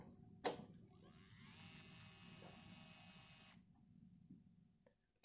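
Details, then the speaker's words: Yamaha fuel-injected scooter (X-Ride/Mio J/Soul GT type) after a new fuel pump IC: faint high whir after key-on, holding about two seconds then dropping off cleanly; the old IC was the fault. Normal fuel pump priming. "jadi deh bisa mudah-mudahan terdengar ya Jadi ada suara kayak gini suaranya nah turun kemudian mati lagi"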